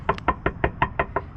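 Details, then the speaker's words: 1971 Chevelle 350 small block, lowered with new exhaust: sharp hollow knocks about five or six per second as the driver-side exhaust pipe, too close to the floor, taps against it when the car vibrates. "Essentially this right here, right at the top, it's too close to the actual floor, so when the car begins to vibrate a little, it knocks up against here like loud."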